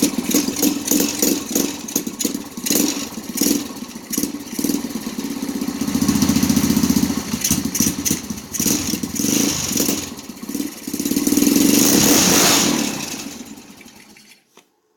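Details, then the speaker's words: 125cc-swapped Yerf Dog kart engine, carb not yet cleaned and leaking fuel: single-cylinder engine kick-starts, then rises and falls smoothly through throttle blips before cutting off; running normally. "it lives so that's all for this part"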